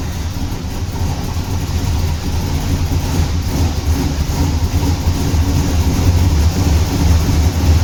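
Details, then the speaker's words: Turbo Trans Am first start after years, distributor rotor reinstalled correctly, fuel 15–20 years old; deep uneven rumble settling into steady idle with small rev, lots of smoke, then runs pretty good after ignition timing set with lamp. "So you saw the car started. Surprisingly, everything was full of smoke. It was crazy, but yeah, the car runs."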